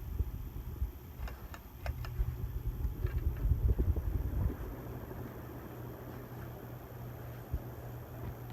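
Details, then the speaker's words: 1983 brass Hunter original ceiling fan, 2.5 amp, running on high: steady low 60-cycle hum with no wobble, rubbing or ticking, perfectly balanced and moving a strong breeze; hum slightly more than usual, isolation ring included; normal running. "not only is the fan beautiful it is perfectly balanced and was a strong Breeze I don't if you can hear the hum a little bit more 60 cycle hum"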